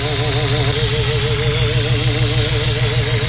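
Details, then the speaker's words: Supercharged Chevette OHC engine with carburetor, about 1 bar boost, ignition timing near zero or negative at idle: rough loud idle with constant sharp hiss and thin whistle; boost air leaking from crushed carburetor vacuum nipples and cover screws. "Tem uma coisa vazando muito ar aqui. Então, pessoal, eu fui vendo, cada coisinha no carburador tava vazando ar."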